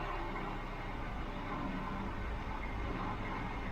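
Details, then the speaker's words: Mk3 Ford Cortina just fitted with Accuspark electronic ignition, idle brought down from 1,000 rpm toward about 800–900: steady even low idle with no misses, hunting or knocks; normal idle. "Yeah. It looks all even, so it sounds nice."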